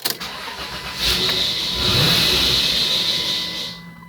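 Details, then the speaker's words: 1996 Dodge Grand Caravan SE, 3.3 V6, front-wheel drive, automatic: catches after cranking, runs rough with a hissing roar for a few seconds, won't rev, then dies, engine light flashing; stalling after start, owner fears the computer needs flashing. "And then you try to start it this way, it doesn't start right away. and then it dies quickly and it I can't even rev it or do nothing."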